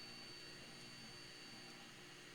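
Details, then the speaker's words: 3D printer: thin, steady high-pitched whine like a dental drill over a faint fan hiss, recurring after an earlier attempted fix; source not identified. "there's that Dental drill sound I don't know if you guys can hear it it appears we didn't fix the"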